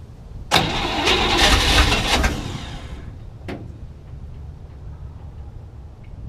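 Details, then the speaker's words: 1967 Chevy C10, 327 V8, 11,200 miles, unrun 33 years, cold day: starter cranks briskly about two seconds then a clunk and silence, never catches; crank no start, fuel delivery problem suspected. "so it still seems like it maybe it's having problems getting gas but it did kind of go for a minute so hopefully it starts"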